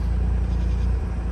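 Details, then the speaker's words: Mazda RX-8 rotary, after a week of cranks-no-start and a de-flood procedure, cranked again and now holds a low, steady idle without stumbling or dying. "crank it over once again guys it's holding an idle it is holding an idle"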